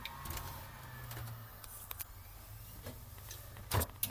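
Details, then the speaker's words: Dell GX280 desktop after the fix, a zip tie through the fan adding pressure to the left side of the CPU cooler: even fan hum, drive spins up with seek clicks and Windows boots. Normal boot. "hard drive speeds up and it boots windows so yeah a working fix by zip tying the computer"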